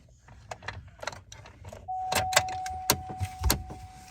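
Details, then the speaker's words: Chevrolet Trailblazer, microphone under the dash near the gas pedal: sharp, irregular clicks, about two a second, once the key is turned on; the HVAC actuator is the culprit. "yet clicking up in there and obviously you can hear it so that is our culprit"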